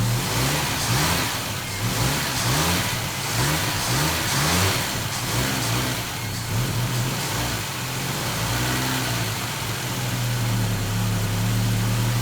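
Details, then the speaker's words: 1969 Volvo 164 freshly rebuilt engine at first start, ignition at 16° BTDC, revved up and down to seat the new rings: smooth idle with quick clean blips and no knocks or misses; normal running. "sounds so good she's so quiet up there that's amazing you gotta keep those rings in so i gotta keep revving it up and down a little bit"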